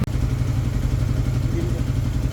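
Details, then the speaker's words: Motorcycle engine previously very noisy from running out of oil (blamed on poor maintenance), after repair and refill with S-Oil: steady, even low idle putter with no knocking or clatter; now quiet and healthy. "Okay, check naman natin yung ingay. Kanina sobrang ingay eh. So, ngayon, ayan, tahimik. Tahimik na tahimik."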